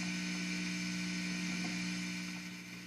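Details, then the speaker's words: Vox VT40+ guitar amplifier at high gain: steady low buzzing hum with a thin high whine that grows as volume is turned up. The hum is attributed to the amp's tube/cathode picking up surrounding electrical signals. "so you're gonna like right now it's humming listen you'll hear it as I turn it up that's the to working harder and harder"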